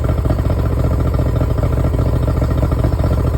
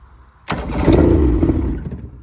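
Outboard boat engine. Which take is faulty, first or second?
second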